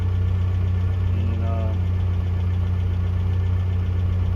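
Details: 1982 Toyota SR5 4x4 pickup after fixing crank-then-cut-off problem (owner thinks emissions control computer box was the cause, everything else replaced): low, steady idle hum at even speed, no stumbling or dying out; idling smoothly.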